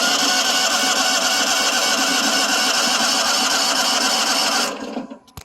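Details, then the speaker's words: John Deere 652R standard mower, hard start after sitting, possibly flooding: harsh, rough, high-pitched roar over the engine at steady speed; stretched drive belt lets the tensioner pulley rub the hydro pulley, plus an overheated PTO clutch. "It cranked up after sitting for a while, but you can hear this noise. I think we might have something else going on here too, in addition to this, but something just other than those pulleys."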